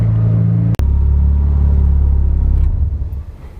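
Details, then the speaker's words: Mazda MX-5 engine, 31 years old (3 of them turbocharged), first start after reassembly, slightly cooled but at 70 degrees: a steady, even low idle with no knocks or ticks. It sounds healthy. "the engine is a bit cooled down but its at 70 degrees and as you hear it still runs and sound healthy"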